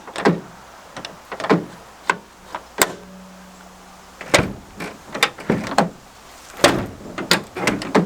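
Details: Tailgate window motor, heard between door and handling clunks. A steady low motor hum runs about a second and a half; the tailgate window motor works.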